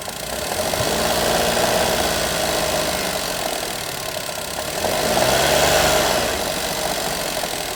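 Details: Daihatsu Mira engine running with an uneven knocking of roughly three to four a second that swells as revs rise; knock of unclear cause.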